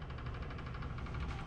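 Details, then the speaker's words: Custom gaming PC in an In Win case with a top-mounted PSU, powered with a known-good test power supply: soft, even low whir of fans spinning up with no grinding or clicking, and it posts, confirming the original power supply was bad. "uh fans are spinning so it definitely was the power supply"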